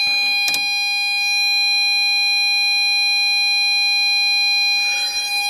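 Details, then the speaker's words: Harsh, buzzy steady ~800 Hz tone with a hard, raspy edge from an LM386N 0.5 W audio amp set to maximum 200x gain; sine waves are clipped into square waves because the amplification is far too high. "so when you say this you can surely see that the amplification is far too high that means that sine waves are changed into square waves and that's happening here"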